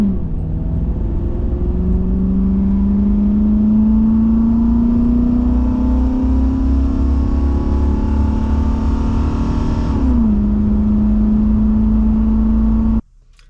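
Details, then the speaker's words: Olds 350 V8 in a Cadillac with a new Edelbrock 2711 no-EGR intake, driving at about 180-degree operating temperature. An even rumble climbs with road speed, lifts easily around ten seconds, then cruises steadily. Running strong and clean, cooler than before. "So for it to have just fired off that quickly is just mind-blowing to me. I hope that's just how it's going to be from here on out."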